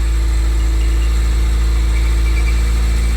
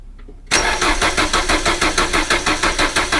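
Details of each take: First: 1980s Renault 9 idling smoothly and evenly with no knocks or misses after radiator and cooling fan replacement, started on full choke after sitting weeks; warming up while the cooling system bleeds, a normal idle. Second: 1980s Renault 9 after radiator and cooling fan replacement, sat a few weeks unstarted: starter cranks steadily about three compression beats a second without catching, as fuel drained back to the tank and the mechanical fuel pump takes time to refill; then runs well.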